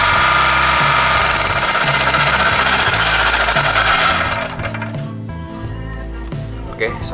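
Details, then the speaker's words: Daito 2.4 kVA portable 4-stroke generator after service for water in the oil, retested: steady, even drone with constant high whine, no surging or misfiring; runs normally. "cả các bạn cho máy không có vấn đề gì và máy vẫn bật bình thường hoặc sinh hoạt bình thường"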